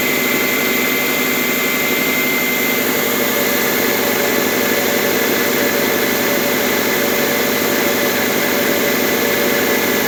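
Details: Subaru with 82,000 miles on a cold start at 57°F: light, uneven clatter about four times a second over a hissy engine note, quieting as it warms; owner suspects piston slap, present for 30,000 miles, dealer called it harmless.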